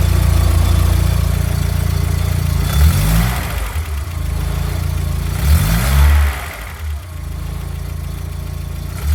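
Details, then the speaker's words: Mk2 VW Golf after apparent alternator fix: starts better than ever, even idle with two throttle blips rising and falling smoothly without misfire or stumble; engine running healthy. "may have solved the issues cuz it's that started up a lot better than it has ever done. And the revs are actually nice and smooth as well."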